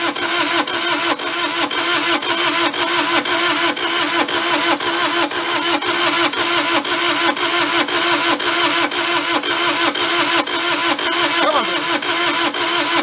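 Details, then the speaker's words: Mid-1980s Bobcat skid steer, possibly a 642, non-running; steady starter cranking at about two beats per second that never catches; owner suspects too little compression to fire and plans to check valve clearances for tight valves. "starting to think that we said dust doesn't have enough compression of fire uh let's get that valve cover off and we will check valve clearances which make sure we don't have any tight Valves"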